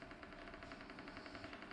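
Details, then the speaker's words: Brand-new Alpicool T50 dual-zone 12V fridge at its first switch-on: quiet, fast, steady rattle about eleven times a second as the fan spins up. Owner suspects it is because the unit is new; cause unknown. "because it's first time anyways this starting the fan is making some noise maybe because it's brand new"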